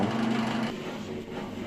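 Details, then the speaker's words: Bosch Max 5 washing machine that would not drain because of a broken drain pump impeller: the pump runs with a steady, even low hum and no rattles, the drain pump running normally. "Все, насос работает."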